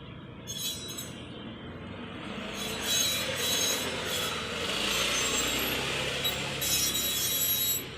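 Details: Old Royal Enfield Bullet 350 rear drum brake: a hissing, rubbing scrape with a faint squeal rises and falls as the rear wheel turns; the brake spring is found shiny, making the noise.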